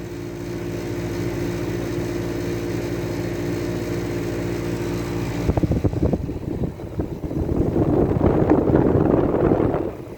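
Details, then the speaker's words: 1975 Climatrol air conditioner, a 7.5 amp unit, with its front grille removed. The fan motor, which ran rough when first acquired, runs with a steady even hum, quiet with no rubbing or rattle after sitting overnight; the cause is unknown. "it's been sitting overnight and i fired it up again and it seems to be quiet again so i don't know what that's all about"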